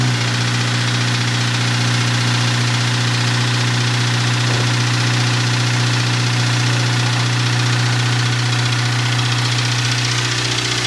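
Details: Honda K20A3 after valve adjustment (exhaust valves were far out of spec): steady idle with light even tick about two to three a second following RPM; car runs well; owner suspects manifold or exhaust leak, unconfirmed.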